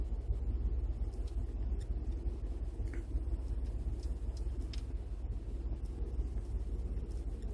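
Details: 2012 Ford F-150 5.0 V8 on cold start gives a low, uneven rumbling idle that surges, bucks and stumbles; the ECU retards ignition timing 9 degrees on the cold-start map for about a minute and vacuum is barely pulled.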